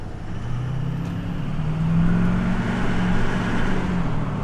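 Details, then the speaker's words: Chevrolet Duramax diesel on a road test after fitting a cheap eBay knockoff turbo. Under hard throttle the deep drone climbs steadily and boost reaches about 24–25 PSI, with vane position monitored; the turbo builds boost normally. "All right, I'm hitting boost. That's good. I saw it go up to about 24, 25 PSI."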